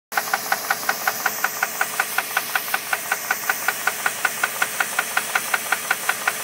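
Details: 2001 Jeep Grand Cherokee 4.7 engine running; sharp regular metallic knock about two and a half per second over quiet engine; owner suspects rod knock, not confirmed.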